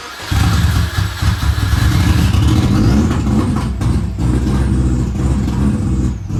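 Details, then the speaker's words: 2003 WRX with a hybrid engine, first start after reinstalling the fuel lines: it catches and runs rough, surging and faltering, then won't stay running. Owner suspects the roughly 565cc 06-07 WRX injectors, as the map is scaled for 1050cc. "foreign well she still doesn't want to stay on um I have a feeling it is probably the injectors"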